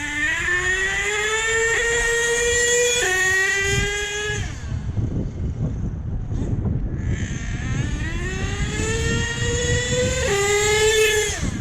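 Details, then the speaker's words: HPI Savage nitro monster truck with new clutch bell and spur gear, high and low needles richened half a turn: slow throttle pulls give a high scream that climbs smoothly without stutter or sag; running clean. "I'm pulling this trigger real slow. There's no stuttering. The RPMs keep building up. It doesn't peak out and then fall down."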